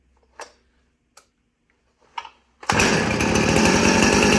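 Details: 2010 Husqvarna 455 Rancher chainsaw, chain brake broken and removed, saved from scrap pile: a few starter pulls, then catches and holds a strong, even two-stroke scream without stumbling; normal running, a good runner.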